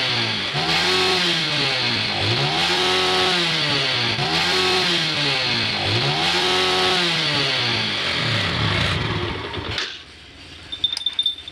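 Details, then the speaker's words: Yamaha Vega R New that stalled on long rides, after tightening loose bolts, opening a blocked passage and fitting a Jupiter Z CDI: quick blips, revs climb fast and fall back cleanly to a stable idle. "ya rpm nya juga cepat naik ya No Limit cepet teriaknya ya pakai CDI Jupiter Jupiter Z"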